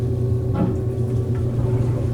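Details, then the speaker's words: Old Maytag top-load washer that wouldn't agitate, lid safety switch pressed in with a screwdriver on spin: steady low motor hum with water sloshing and draining as spin engages; normal spin, confirming the lid switch is bad. "And then you can hear that that has engaged into the spin cycle. You can hear the water draining."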